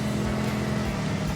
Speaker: Thing is, as well, with this car, you can hear when it's running properly because the engine is so open. It's literally just behind my head.